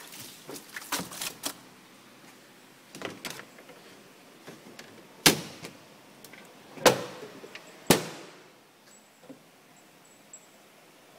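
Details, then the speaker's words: Semi-auto washing machine (Oceano OWS-07L) spin dryer: loud, fast rattling and banging as the drum spins, from clothes packed unevenly. Dropping the clothes into the center to balance the load makes it silent. "is this your washing machine like this noisy when you dry your clothes you try to dry your clothes like this"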